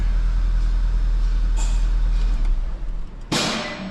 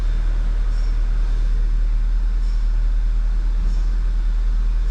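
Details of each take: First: 2011 VW GTI towed in running rough and smelling of fuel; deep, uneven idle rumble losing rhythm with a sharp burst: misfire isolated to cylinder one, suspected bad injector. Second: 2011 VW GTI that had a misfire, with low fuel pressure and a fuel regulator code, idling after a coil and plug swap: steady, even rumble with no stumbles, then a brief blip. No misfire now; a possible intermittent injector fault is suspected.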